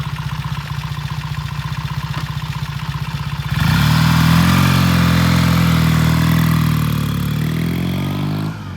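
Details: 1968 Triumph T100 twin on a test ride, gearbox suspected of popping out of third: even idle pulses, then a strong rev pulling away with clean gear changes, made it through third; normal acceleration and shifting.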